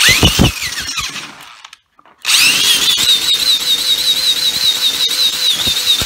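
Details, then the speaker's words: Yard Machine Y2510 string trimmer with broken plastic pull-start part, spun counterclockwise by drill on trimmer head while tapping throttle: rising drill whine, no firing, cranks but fails to start; needed more priming. "go so you takes a few tries to start it up earlier i guess because it's filming it's a little harder to manage"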